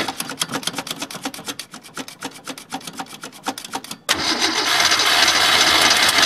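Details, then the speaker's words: Ford Falcon sat all winter, battery put in, gas dabbed in, fuel cell: even starter chug at about three strokes a second for four seconds, then a sudden roar as it catches; extended cranking before start. "my need to dab more gas a screw it it's sucking it up let's just keep"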